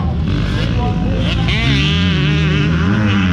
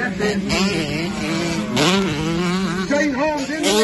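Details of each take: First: Honda 125 two-stroke motocross bike racing: crisp, high-pitched buzz rising and holding as the throttle stays open, clean and strong; normal two-stroke at high revs. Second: Honda 125 two-stroke motocross bike racing, heard on the GoPro, coughing and spluttering after a few laps under race load, breaking up and stuttering unevenly between pulls; misfire, from an electrical fault that worsened through the moto.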